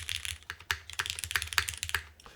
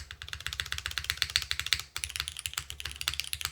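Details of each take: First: KBDFans TOFU TKL with Cherry MX2A switches, case screws loosened or removed: crisp clacky keystrokes, internal thud almost completely gone; sounds clean and tight. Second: KBDFans TOFU TKL keyboard with Cherry MX2A Black switches and GMK Sloth keycaps: fast typing clatter with a hollow knock beneath; owner suspects the top case is impacting the aluminum plate, unconfirmed.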